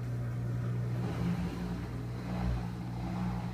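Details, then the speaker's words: General Electric washing machine on drain and spin cycle: loud steady low drone with wavering hum as the drum spins, vibration felt through the floor; excessive vibration during spin, cause not evident. "Like I could feel the vibration on the floor. But it's so loud, too."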